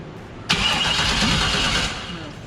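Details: Chevrolet C10 with newly installed 350 engine, start attempt via starter wire: about a second of starter cranking whir that fades, engine never fires; spark uncertain, something suspected grounding out.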